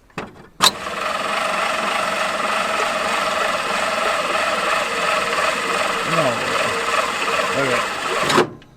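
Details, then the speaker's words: 1950s–60s Willys Jeep truck abandoned for years on a North Iowa farm: spark plugs removed and ATF poured down the cylinders for sticky rings. A steady high whirring crank with no firing slows to a stop; owner suspects something heating up, building resistance and losing amperage. "I don't think our starter is going to do this. It doesn't have plugs in and it's coming to a stop."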